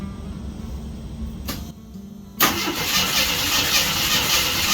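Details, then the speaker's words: 1976 AMC Gremlin 232 inline-6 that shakes under acceleration, compression test after oil was added to the cylinder: the starter spins fast and loud with a slightly uneven rhythm. The cylinder still reads only about 9 psi, effectively no compression. "Okay. She just don't got any pressure."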